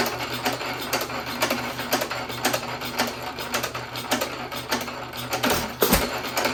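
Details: 1917 hit-miss economy engine with aluminium piston and rod refitted in place of low-compression piston, buzz coil ignition, same speed setting: crisp even clatter about two beats a second, no compression leaking past the rings; runs better.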